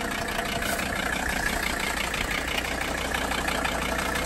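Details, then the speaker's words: 1982 Mercedes 300SD turbo diesel, last run about two years ago and just revived. Steady, loud diesel clatter at idle with slightly uneven chuffing pulses, so the idle is rough. The owner plans a diesel purge to smooth it; the cause is unconfirmed. "i'll probably do a diesel perch on it and see if we can get uh that idle to smooth out a little"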